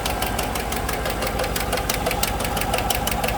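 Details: 2015 GMC Sierra 1500 Denali 6.2L V8 idling with a sharp, steady tick from the passenger side, not missing; cause a bent and broken number 6 intake pushrod.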